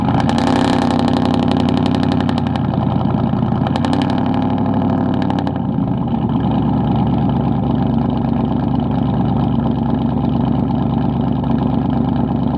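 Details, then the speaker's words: Cammed 450 HP lifted Tahoe, after installing a new idle air control valve to fix a high idle: throttle blips, then a steady, choppy cam idle that holds without hunting; normal idle. "sounds a lot better y'all heard it here"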